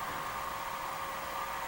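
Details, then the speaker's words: HP/Agilent 6612C bench power supply bought non-functional on eBay, after repair, output on at about 12 volts and full current capability: steady airy rush with faint hum, no rattle or scrape; internal cooling fans sped up under load, running normally. "know if you can hear it that the fans are schooled up in the power supply so it knows that it's supplying a real current right now"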